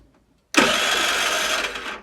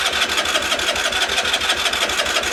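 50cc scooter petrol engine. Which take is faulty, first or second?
first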